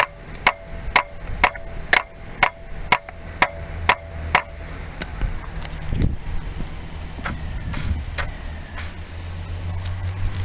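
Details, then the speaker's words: Yamaha FZ400 project bike: sharp single clicks about twice a second with no cranking, fading after a few seconds; voltage is present, and the owner suspects the starter motor, not confirmed. "well I reckon it's L starter motor starting motor"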